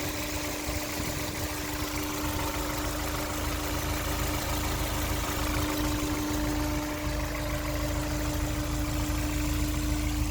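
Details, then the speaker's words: 2004 Honda S2000 with 109,000 km, VTEC engine warm at idle with the hood open: steady, even hum with no ticking or knocking; normal idle, though coolant smell and possible coolant leak corrosion are noted. "So as you can see, it seems to be running pretty smooth. The VTEC purring just fine."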